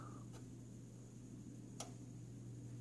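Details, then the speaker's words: Samsung PN60E7000 60-inch plasma TV won't turn on: faint steady hum with a soft click about every second and a half from the back as a relay cycles, red power light blinking, no image; faulty power supply, fixed by repairing it. "sounds like a relay trying to switch on or off so no image and the red light is blinking and I think that's the problem"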